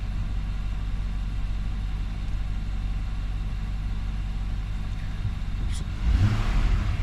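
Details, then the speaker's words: 2019 Nissan Armada, warm at 71°C coolant, after throttle body cleaning and idle air volume relearn: steady, even idle rumble with no misses or knocks, then a clean quick rev; good accelerator response, idle normal. "And it is idling good. I mean, it looks like it's idling smooth. It's idling right where it needs to be."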